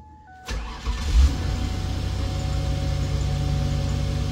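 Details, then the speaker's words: Demolition derby car being built, testing a newly mounted fuel on/off toggle switch: engine fires quickly and holds a smooth, even low idle with no misfire, ticking or knocking; normal start and idle with fuel switched on. "well that sounds pretty good so I'm assuming that's on"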